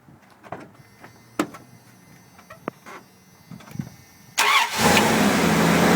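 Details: 1994 Dodge Dakota that turned over but wouldn't start due to no spark at the plugs or coil. After the burnt wires were temporarily joined, a few quiet clicks, then it catches at once and settles into a steady, even idle: normal start.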